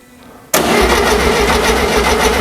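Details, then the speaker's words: Rebuilt VW Beetle engine (Renobug), newly fitted to transmission, cranked on temporary battery by shorting the solenoid before fuel or spark are connected; strong, even, steady cranking without grinding, also circulating oil after long standing; starter sounds healthy. "So we're just going to swing it to hear what it sounds like and check everything out. So Wayne is just going to short it out there on a solenoid. Start the solenoid. Yeah, sounds good. Sounds healthy."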